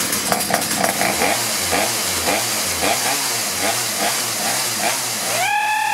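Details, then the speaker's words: Two-stroke chainsaw that would only fire briefly, started after correcting misrouted fuel lines between filter, carburetor, primer bulb and tank: a few cord pulls, then a clean, steady high buzz; starts and runs normally. "operator adjusting and off we go I think we got a winner here"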